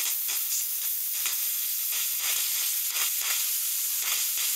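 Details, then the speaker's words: Car cooling system with bubbling noise at heater core when cold, bled: steady high hiss with soft irregular sputters from the bleed point, only steam venting now; trapped air purged. "that yeah it's just steam now so"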